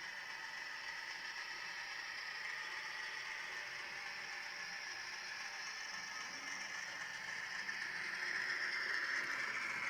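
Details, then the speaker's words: Broadway Limited Imports N-scale SW7 locomotive at about 39% throttle after adding more grease; light, fast mechanical rattle at about four beats a second over a whirring drive, jerking back and forth; rough, jerky running with gear noise. "And that's at about 39% throttle. And I think it's evident in the video that we're kind of jerking back and forth. Like it's definitely not a smooth runner."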